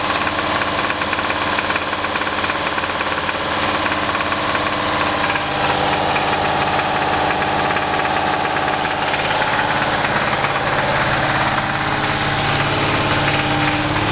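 Idling petrol engine with a steady deep knock, about three a second, from the bottom end: rod knock. Cause suspected, not confirmed.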